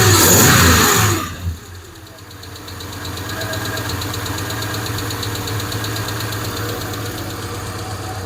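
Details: Hemi V8 settling into steady idle after handling noise, with fast light ticking, likely a noisy lifter; valvetrain tick suspected from wrong pushrod lengths mixing 2009 Eagle and 2008-or-older parts, not confirmed.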